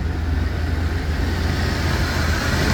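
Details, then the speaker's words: 1988 OBS truck after fuel pump replacement, sat about a year and a half: even, steady low rumble with no misses, stumbles or knocks; normal running with good fuel pump. "this is what the truck sounds like when it has a good fuel pump in it it actually runs pretty good for it to be sitting for like a year and a half"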